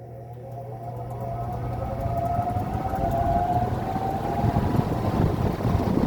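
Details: New belt on 40-inch Maxx Air Pro Flex drum fan (garage-door-opener pulley drive) starting on low and coming up to speed: low hum with clean tone climbing smoothly, belt drive smooth and quiet; normal run-up.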